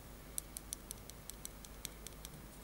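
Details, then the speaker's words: Xiaomi Bluetooth headset, mic held close: faint sharp ticks about five per second over near silence, something loose knocking inside the headset; internal rattle, while the other headset is silent. "ребята вот это хорошая прекрасная смишна гарнитура здесь почему-то что-то стучит Я не знаю что слышите"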